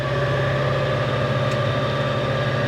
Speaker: so thick out there mow is definitely struggling but fuel light's not come on so I think we're okay do you hear the belt squealing they not